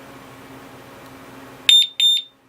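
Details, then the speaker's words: Urban UR6 alarm disc lock fitted to a Victory Empulse TT motorcycle: after pressing the arm button and waiting 10 seconds, two short, sharp high beeps confirm the alarm has armed. "and then if you want to arm it press this button and then after 10 seconds it's gonna arm so wait 10 seconds"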